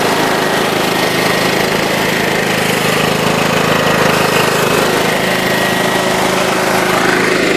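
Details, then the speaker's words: John Deere LT133 riding mower single-cylinder engine at wide open throttle after 3/4 throttle: fast steady even note, no misses or surging, healthy and quite quiet. "that's about 3/4 throttle there and then there's wide open throttle which is really quiet"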